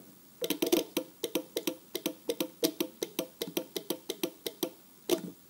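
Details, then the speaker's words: 12/24 V relay from agricultural or construction equipment, coil powered from a battery on terminals 85 and 86. Crisp dry clicks, about four per second, as the contacts pull in; the relay clicks normally, though contact continuity still needs checking. "voilà donc là la bobine est alimentée vous avez pu constater ce claquement donc on dit que le relais claque"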